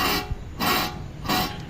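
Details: Hyundai i10 wheel hub turned: dry rasping rubs in three short bursts, with some play, from a bad wheel bearing.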